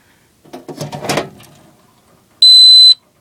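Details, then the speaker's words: Home fire alarm control panel unplugged from wall power, transformer hum stops, power light blinking in battery mode: handling knocks then one shrill half-second trouble-sounder beep for AC power loss. "you know what I'll unplug it see it's not humming anymore and the power light is blinking which means it is in battery mode"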